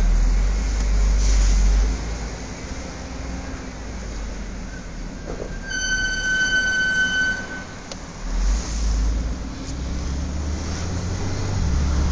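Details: Brand-new Audi S4 B8 Avant (12/2011): sharp high-pitched brake squeal held about two seconds over low road rumble as the car slows; squealing since new, Audi seemingly has no fix.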